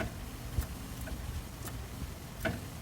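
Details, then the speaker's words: 1983 Peterbilt 359: sharp irregular clicks over a low rumble as the clutch pedal switch is pushed, Jake engine brake circuit cycling; throttle pedal return spring was missing, so the pedal never fully returned; new spring fixed it. "if I push up on the clutch pedal here just a little bit you can hear it clicking now"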